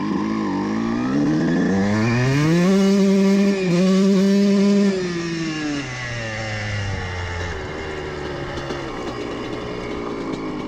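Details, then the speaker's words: CR125 two-stroke fitted with a larger main jet than before: revs climb and hold near the top, but the note stutters, spits and breaks up instead of clearing; main jet running rich. "Oui, vous pouvez certainement entendre un peu un peu d'araignée au sommet où c'est comme découpes ce n'est pas complètement lisse"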